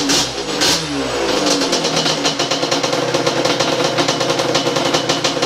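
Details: Freshly rebuilt Yamaha Banshee two-stroke, started on third kick with idle tune set and warming up a few minutes; crisp, rapid crackle climbs cleanly on throttle blips and settles back. Normal revving, responsive and healthy.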